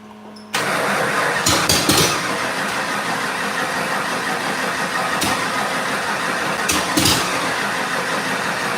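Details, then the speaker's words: 1989 Mustang 351W with remade fuel line, cranking steadily with ragged pops as dad rotates the distributor; it tries but never runs. Fuel not exiting exhaust; helper thinks it needs more timing, others suspect wrong firing order. Crank, no start. "it's trying as you're doing that your dad's rotating it sounds almost like a firing order issue"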